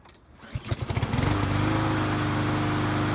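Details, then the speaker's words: Lawnmower that had no compression, repaired without new parts using gasket maker and carb spray, started on choke: a few uneven catches, then a steady, even small-engine drone; running properly. "That sounds like a lawnmower. Wow, I did not expect that to happen."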